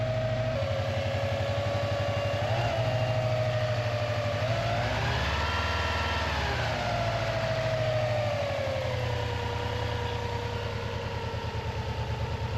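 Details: Non-AVCS JDM Subaru EJ205 boxer at warm idle, nearly up to temperature, after timing belt and water pump replacement that had caused loud metallic ticking: steady even idle, smooth low burble, no ticking or clicking; owner wonders if a tensioner was the cause.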